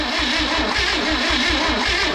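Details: Freebie 235 inline six after new points and plugs: starter grinds in a steady rhythm of about four pulses a second with no catch; cranks but won't start.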